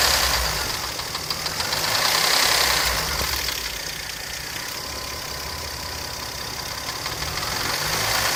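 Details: 1995 V6 KL 2.5 engine at idle: fast regular light tapping, about three or four a second, from the right cylinder head; top-end tapping, not affecting performance.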